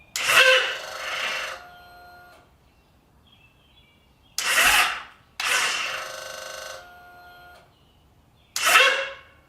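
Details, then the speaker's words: Victory Magnum motorcycle under rebuild: four short bursts of fast, harsh solenoid clicking with no cranking as the starter is tried; battery just died and voltage is below the 12 volts needed to start. "we don't have quite enough voltage to get this thing started we need 12 volts at least"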